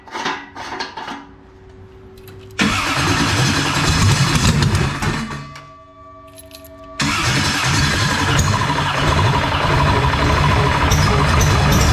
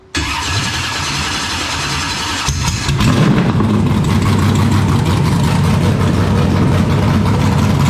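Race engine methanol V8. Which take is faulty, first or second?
first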